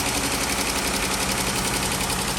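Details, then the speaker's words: 2013 Jeep Grand Cherokee 3.6, high mileage, no warning lights: rapid light clic-clic ticking over idle, keeping pace with engine speed, heard from one side after start-up; lifter tick, worn lifters on that side recommended for replacement. "dice que ella solamente es el sonido voy a escuchar este efecto y clic clic clic que está sonando de este lado"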